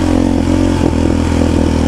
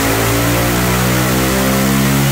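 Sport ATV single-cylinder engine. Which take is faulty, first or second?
first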